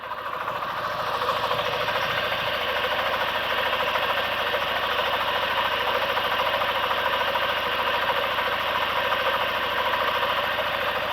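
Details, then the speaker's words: Daewoo Lanos (LPG/petrol), running outside: lumpy uneven idle with hollow chuffing; an oscilloscope shows a signal reaching the ignition coil but no output on one channel, so the coil fails two cylinders and needs replacing. "Так тут сигнал появився тепер міняємо на другий третій сигнала немає то есть як бачимо у нас на сюди приходить на роз'єм сигнал А нічого не виходить на ось цей канал то есть розуміємо що у нас котушка під заміну"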